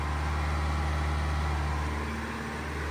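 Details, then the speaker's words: Mahindra XUV700 BS6 diesel during parked DPF regeneration, revving continuously around 2300 rpm, heard from outside: smooth, even, refined hum with no knock or rattle; normal high idle. "भाई साहब XUV 700 का diesel 2300 RPM में रेव होता है continuously, तो इतना आवाज़ करता है बाहर से।"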